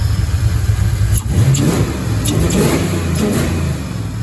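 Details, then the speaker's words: Ford Mustang Fox body 5.0 V8, 5-speed, just fitted with an Explorer GT40 intake and redone top end: deep V8 rumble blips up sharply and settles smoothly, very fast throttle response, running much better than before the swap; normal revving. "Very fast throttle response. Running a whole lot better than it did."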